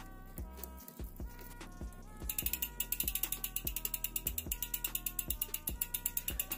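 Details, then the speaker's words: Bicycle rear derailleur, cranks turning after adjusting the inner limit screw: rapid metallic ticking, getting busier partway through; limit screw turned too far, chain rubbing the derailleur. "donc là on entend un bruit étrange suggère que la vis regarde et la vie c'est par un peu trop"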